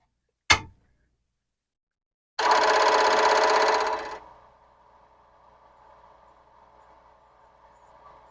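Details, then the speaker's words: Commodore PET 4040 disk drive power-on: a switch click, then under two seconds of rapid buzzing head chatter fading to a quiet motor hum; normal startup sound, though drive 1's stepper pancake spins instead of chattering. "It sounds just fine. But when I look in from the top, I find that drive 0 is doing its regular chattering thing, and drive 1 is not."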